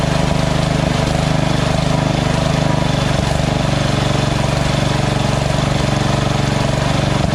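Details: Small single-cylinder lawn tractor engine after the surging carb was replaced with a Chinese-copy Nikki 590399 on an O-ring manifold with backward 90-degree fuel nozzle: steady, even idle with no rise and fall; surge fixed.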